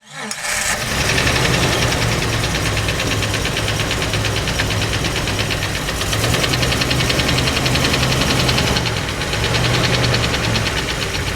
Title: Jeep 4.0 Knocking Sound